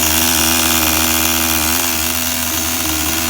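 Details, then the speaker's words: Tamiya TGS-R nitro RC car engine, after blipping, on factory needle settings with new fuel after it previously wouldn't run; smooth, high-pitched buzzing idle with no stumbling or surging, running cleanly. "Sounds good to me. Listen to that idle, people. Do you hear that idle?"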